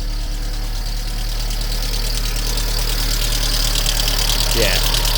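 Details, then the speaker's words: Mk2 VW Polo with a swapped twin-cam AFH engine (1.4 or 1.6, unsure), idling with a diesel-like sound: a light, regular tick about three per second, suspected top-end rattle; some smoke and steam from the exhaust. Cause not confirmed. "definitely some sort of rattle coming from sounds like the top end I think but I think it's running okay there"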